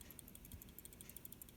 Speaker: there is a tiny rattling noise if you hear that noise then your relay has a problem